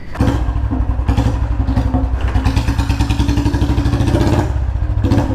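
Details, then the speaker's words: Royal Enfield Bullet Standard 350 single-cylinder, after fitting new packing: deep, even thump with crisp regular beats and no puffing or ticking, the full sound now coming from the rear. Normal exhaust note. "भाई packing डालने से पूरी आवाज पीछे से आ रही [संगीत] [प्रशंसा] है भाई साहब देख रहे आवाज पूरा सील हो गया"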